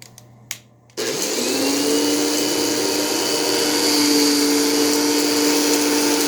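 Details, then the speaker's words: 1989 bagless vacuum cleaner, power switch finicky, switched to vacuum mode: motor spins up to a loud harsh whine with rough rushing edge; doesn't sound healthy, fan trouble likely. "e power switch it was just being really finicky for some reason so it doesn't sound the best keep that in mind but um what are you going to expect it's a 1989 machine"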